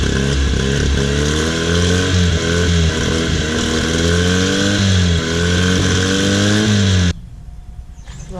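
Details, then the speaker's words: Honda 9.9 outboard that had sat unused and would only fire on starting fluid, now running after its plugged carburetor main jet was cleaned; steady buzzing with slightly wandering speed for about seven seconds, then cuts out; running pretty decent. "let's try to make this carburetor just a little better. It's running pretty decent."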